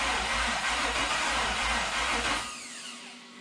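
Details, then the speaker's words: 1972 Toyota FJ40 Land Cruiser with swapped-in LS 4.8L V8, first start attempt: starter cranks steadily about four beats a second, never catches, dies away. Only two exhaust primaries warm, spark confirmed; only two cylinders trying to fire, no start. "uh okay guys so obviously didn't start and just looking at it uh i got you know two warm primaries here all the rest cold so it's trying to fire on those two cylinders which is an interesting thing"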